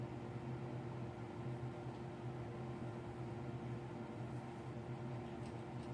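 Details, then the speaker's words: Apartment bathroom exhaust fan with replaced wall sensor switch, still running at 2:38am though last shower ended by 10pm; it did not come on during the shower and only kicks on with no moisture: steady low hum, constant airflow hiss, no cycling; sensor fault suspected. "the fan is still going last shower was finished and we were out of this bathroom by 10pm it didn't come on during the shower and it only kicks on when there's no moisture in here"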